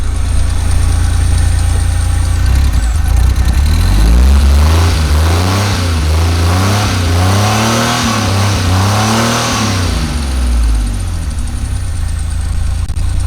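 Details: Pontiac Fiero GT being rebuilt, running after mechanic got it to start: steady low idle, revs rise and fall smoothly several times with no knocks or misses; sounds good, though it might need other work.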